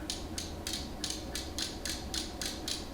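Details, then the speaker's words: Long-abandoned Nissan 240SX S13 with SR20DET swap, engine not turning; a spare crank angle sensor is spun by hand to trigger the ECU: crisp, evenly spaced clicks about three a second. Ignition and the louder injector clicks both work normally. "that's ignition and the big clicks are injectors that makes me feel really good"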